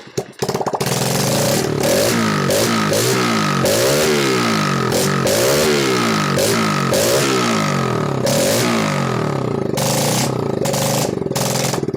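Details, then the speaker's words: BS6 fuel-injected motorcycle engine on a bench, started on self-starter with throttle body held out, revved by hand in two steps: catches and revs up and down smoothly, even firing, no knocks; normal. "आपने देखा दोस्तों, यहाँ पे 2 step से हम इस engine को start किए और इसका जो आरपीएम है उसे बढ़ाए 2 स्टेप से, ठीक।"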